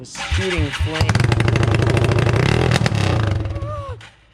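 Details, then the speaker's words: Yamaha TTR 225 single-cylinder during a rebuild, running with no muffler, hard to keep running and starting only on choke; revving hard with loud, sharp irregular pops and cracks like firecrackers; it is backfiring badly and shooting flames. "it's like really loud [Music] it's backfiring it's shooting flames"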